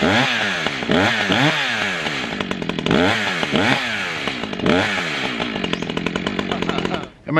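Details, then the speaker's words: New Echo CS-620PW 27-inch chainsaw, first-ever start with fresh fuel: two-stroke buzz blips up and down in quick revs, holds steady run, then cuts off; normal start and running. "after you hear that sputter and you take the choke off it usually starts right up but we'll see we haven't had any fuel run through this yet"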